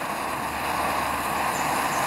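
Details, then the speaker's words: Dual-fuel pressure stove on unleaded gasoline, valve reopened after preheating so the flame vaporises fuel: steady, even roaring hiss of vapour through the jet with no sputter or pulsing; burner running clean. "turn the fuel on that flame as it is now helps to vaporize the fuel to come out through the jet and you hear it starting to hiss that's the fuel Vapor coming out through the [Applause] jet"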